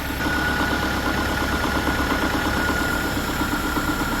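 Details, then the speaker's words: Subaru idling just after alternator replacement (now charging about 14.18 V, was 13.3 V): faint rapid tapping heard from the back of the motor near the bell housing, not the top; owner wonders about a loose torque converter bolt; cause unconfirmed. "Yeah, that noise is definitely coming from the back side of this motor. I can hear it back here. It's not up here."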